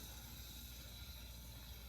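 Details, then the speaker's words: Frigidaire freezer with cooling complaint, evaporator coils frosting properly: quiet steady low hum with a soft hiss and faint gurgle of refrigerant circulating; normal refrigerant flow sound. "so you can hear the refrigerant moving"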